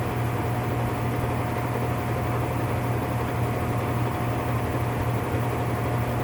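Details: Whirlpool top-load washer (model 110…) with grinding complaint when motor runs, manual-test high spin: steady rough whirring drone with constant whine on top; worn gear assembly needing replacement.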